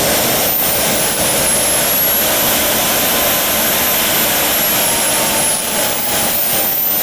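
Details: JetCat RC jet turbine after repair of starter clutch, worn bearings and deformed NGV causing blade rub: auto-start completes, steady even roar with clean high whistle, no surging or rough patches; idle exhaust temperature under 500°C, healthy.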